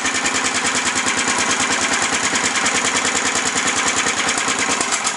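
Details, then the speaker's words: Snapper mower engine with fast uneven popping, speed rising and falling in rapid waves, still surging instead of holding idle; owners suspect governor misadjustment, later found carburetor float problem. "yeah it's doing the same [ __ ] thing man I think it's actually in the governor out huh seems like it's in the governor huh maybe the governor's not adjusted right"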